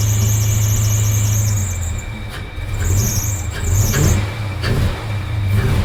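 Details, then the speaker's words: SN95 Ford Mustang project car at start-up with a slight misfire pop (owner believes spark plugs): a high, wavering accessory-belt squeal over the rough idle that fades in and out and clears up after start; belt squeal at cold start. "I know the belt was squealing and whatnot, but it clears up pretty good."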